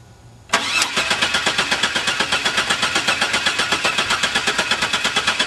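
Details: Van that won't start: even starter cranking at nearly three beats a second with no catch or rev-up; turns over but won't fire.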